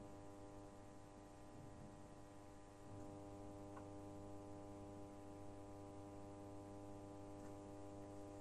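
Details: Genius 5.1 home theater system, volume at minimum: constant low buzzing hum from satellite speaker, same on all channels, never changing; mains hum through amplifier output, traced by disconnecting boards.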